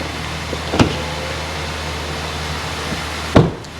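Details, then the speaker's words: Flood-damaged Kia Ceed GT-Line 1.5 petrol turbo, just started after repair: quiet steady idle hum, no knocks or ticks, two door-like thumps on top; normal idle. "sounds good oh she sounds really quiet"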